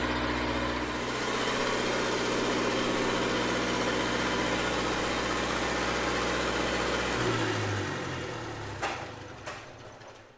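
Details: Red-D-Arc D300K welder generator, Kubota V1902 four-cylinder diesel, restored, after fuel priming: steady smooth low idle clatter about seven seconds, then clean wind-down to a stop; normal idle.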